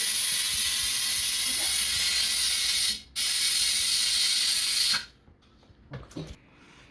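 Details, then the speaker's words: Car tubeless tire with slow leak (20 psi dropping to 16), valve core removed and bead lubricated: loud steady air hiss for about five seconds then stops as the bead fails to seat on the rim on the first try. "did not work first time try to lift the tire up push the rim evenly like that then try again"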